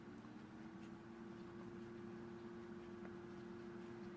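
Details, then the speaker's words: New desktop PC build with stock CPU cooler and paste, about 32 degrees in BIOS: very low smooth fan whoosh with faint steady hum, no rattles or ticks; normal quiet running. "I'm loving how quiet this thing is"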